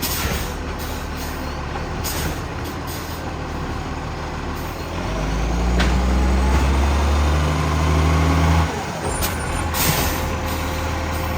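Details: Heavy diesel garbage truck, a 2010, with a bad exhaust leak: loud chuffing, rasping exhaust that swells as the engine is worked harder.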